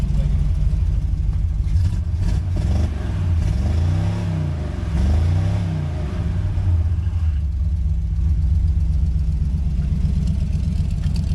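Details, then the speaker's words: 1953 Ford truck running on junkyard parts, first run since 1994, new exhaust: deep throaty exhaust rises and falls cleanly through blips, no knocks or rattles; healthy, good-sounding exhaust. "she sounds healthy. That's a good sounding exhaust right there."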